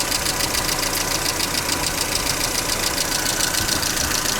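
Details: Mercedes Vito W638, M111 2.3L petrol, replaced radiator; steady idle with light fairly even ticking knock about two per second; engine knock at idle, cause unclear; radiator fan switches on.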